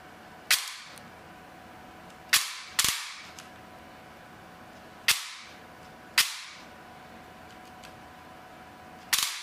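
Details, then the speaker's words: APS V2 airsoft gearbox with brushless motor, freshly replaced piston after a stripped lead tooth: six sharp single piston-slap snaps, no gear whine or motor noise; gearbox cycling cleanly. "like I can barely barely hear anything but the Piston slapping like I don't hear any gear noise or anything no one from the motor nothing just the slap of the piston that's blowing my mind"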